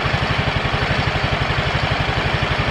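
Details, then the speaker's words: Yamaha automatic scooter, previously rough-sounding and stalling, after pump replaced with an original part: steady, even low putter at idle with no rattle or scrape; the earlier rattling noise is gone, running normally. "kita sudah juga melakukan penggantian Pul PAM sat set yang menggunakan yang ori ini kayaknya sudah sembuh"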